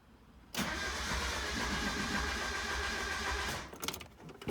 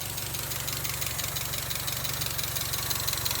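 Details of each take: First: NA Mazda Miata with a variable valve timing setup whose cam bolts were left untorqued: the starter cranks unusually fast and high-pitched with no compression, after the exhaust cam timing slipped. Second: NA Mazda Miata after re-installing camshafts with cam gears torqued to 41 ft-lb; low-idle stalling fixed by reseating intake charge tube on mass airflow sensor. Steady, even idle, smooth low rumble, slight diesel-like tapping, no hunting: normal idle.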